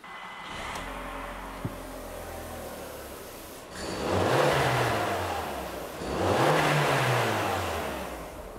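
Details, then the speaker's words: VW Golf 4 GTI 1.8T after replacing the ignition coil for cylinder 3 misfire (code P3003) and clearing fault memory: steady even idle with two clean throttle blips; engine runs smoothly again, normal idle. "ja das sieht doch gut aus der Motor läuft wieder schön rund schnutt wieder wie ein Kätzchen"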